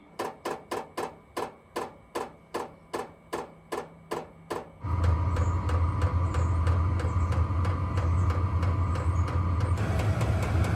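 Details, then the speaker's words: Diesel heater powered by a power station: about a dozen sharp, evenly spaced pump ticks, then a low steady roar as the glow plug gets hot enough and it fires and runs cleanly. "you'll hear the fan and then eventually you you'll hear the ticking and that's when the glow plug has got hot enough and uh it should fire"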